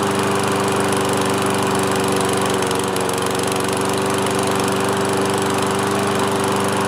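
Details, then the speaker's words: Toro Recycler 22-inch mower, single-cylinder Kohler with automatic choke, just restarted after repair from four years' sitting: steady even drone at constant speed, no misses or surging; normal running. "all right one pull and it's back up and running"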